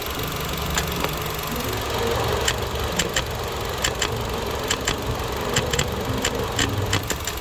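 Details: Car engine at idle, sound at front belt drive; irregular sharp ticks and light clatter from the belt tensioner, which moves back and forth abnormally when running: worn tensioner likely needs replacement.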